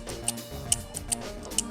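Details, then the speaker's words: Ignition distributor removed from LE-Jetronic cabriolet with randomly flashing warning light and misfire, shaft turned by hand: sharp uneven little ticks, about four in two seconds, from the Hall sensor loose inside. "olha que barulhinho esquisito ele não tava fazendo isso mas depois que eu tirei ele aqui eu acabei percebendo lá no carro não tava fazendo barulho a normal mas vai saber fato é que o sensor R lá dentro tá meio solto"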